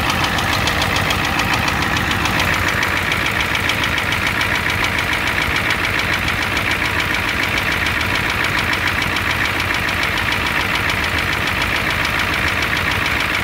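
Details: 1988 Ford F250 7.3L IDI diesel at idle: loud, harsh metallic clatter about 80 knocks a minute; engine knock with a high-pressure fuel line leak, white/grey exhaust smoke, smoke from the oil dipstick, oil in the add zone; cause not confirmed.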